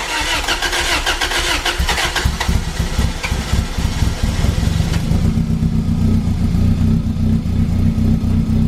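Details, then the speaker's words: Toyota MR2 with new Garrett turbo, starting on the OEM ECU to rule out a faulty Power FC: cranks, catches and settles into a steady rumbling idle with no stumble or misfire; runs normally, Power FC issue still unresolved. "So, we gotta figure out what's up with the Power FC, but other than that, it looks good so far. At least it runs."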